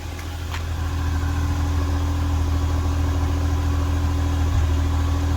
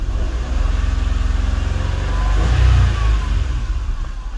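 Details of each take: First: First-generation Nissan Almera 1.2 three-cylinder, warm engine idling, heard at the exhaust: low uneven chuffing with irregular puffs breaking the beat; engine stumbles and nearly stalls. Ignition coils to be checked first. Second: Nissan Almera 1.2 three-cylinder that stumbled and stalled at idle, after injectors and spark plugs refitted: steady even idle then a clean quick rev rising and falling smoothly without stumbling; engine now runs normally.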